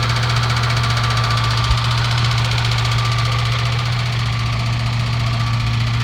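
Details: Loud, heavy low drone with a rough rattle under the hood at idle, only with the AC on and gone when it is off. It began right after the power steering fluid was changed; AC still blows cold. Cause unknown.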